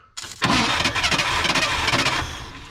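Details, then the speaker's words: 1967/68 Ford F100 sitting about 10 years, spark confirmed and gas poured in, starter engaged with a jumper wire: rough spluttering bursts over about two seconds of cranking, spitting out the back, never starting; carburetor suspected, rebuild kit planned. "we're going to engage the starter with our jumper wire and see if you'll crank yeah probably that spitting out the back"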